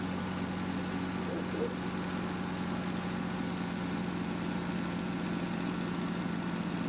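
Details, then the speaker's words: REO M-35 truck after head gasket replacement, very cold start held on a little throttle: low, steady rumble with slightly uneven idle; slight idle trouble while warming is normal. "So this time the truck started and we used the throttle to keep it running as it was really cold, and so we needed to let it warm up a little bit. Now you'll notice that it was having a little trouble idling, but as long as you kept a little bit of throttle to let it warm up, but that's normal."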